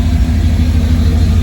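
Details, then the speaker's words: 33-year-old 1991 GMC truck, hot after test drive following fuel filter change, recorded underneath at exhaust: deep steady even V8 idle, no misfire, ticking or leaks; owner suspects rust in original gas tank. "Look at this exhaust. I think it sounds pretty good to me."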